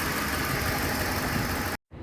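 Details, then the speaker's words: 2007 Ford Explorer 4.6L V8 at idle with white smoke and overheating: rough uneven idle with irregular stumble, one cylinder misfiring intermittently because a cracked spark plug was leaking spark; coils tested fine, plug replaced. "वो Sam time इस fire कर रहा है देखो अभी ठीक चल रहा है"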